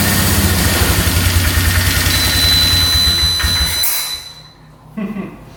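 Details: 2002 Polaris Magnum 325 4x4 ATV, bought not running and needing a carb clean, on first start without choke. It gives a brief even single-cylinder putter with no knock, miss or rattle before dropping away, with a beeping battery; healthy idle.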